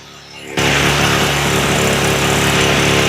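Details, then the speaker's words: Echo SRM-225 two-stroke trimmer after carb rebuild, choke off, no throttle: fast, steady buzz; idle set too high because it had been turned up while running badly. "you can hear it idling way too high now. And that's because it wasn't running correctly before and we had to turn the idle up."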